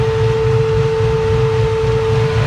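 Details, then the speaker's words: Electric cooling fans run with a steady whirring hum and even low rumble after the fan controller was set lower to switch on at 78°C; the gauge reads about 85°C. The fans are working normally. "right so right now I set my uh controller to a lower um degree so the fans are going to kick on sooner now like there you go they're actually at one"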